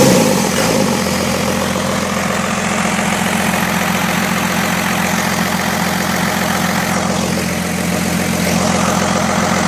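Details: First-generation Cummins diesel, first start after rebuild following wreck, AirDog lift pump newly wired: short crank, quick catch, steady even diesel clatter at idle with no knocks or misses.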